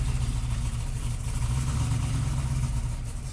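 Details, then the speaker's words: Restored 1998 GMC Sierra work truck with 13,341 miles, first start and run with a short muffler: deep, steady, even rumble with no knocks or misses, not very loud; normal idle. "So for it's- being a little short muffler behind it, it's not that loud. yeah, dude, it Sounds good."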